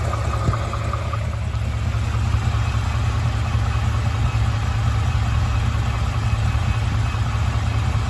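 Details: 2017 Ford F-150 5.0 V8 at 27k miles, engine knock update: steady low idle with a faint, loosely regular tapping around two to three per second underneath; some kind of knock, cause unclear.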